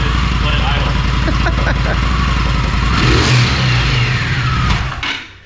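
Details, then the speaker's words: Stock Indian Scout V-twin with the factory exhaust, before the swap: soft, even low-thump idle, then a couple of smooth revs; quiet "sewing machine" sound, healthy. "Yep, that's it. Sewing machine."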